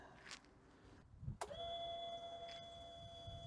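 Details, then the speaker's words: Sym Jet 14 fuel-injected scooter that won't start, fuel line removed and held over tank, ignition on: steady high-pitched whir holding evenly; fuel pump delivers enough, ruled out. "also das wird definitiv ausreichend sein an der Spritpumpe wird's auch nicht liegen"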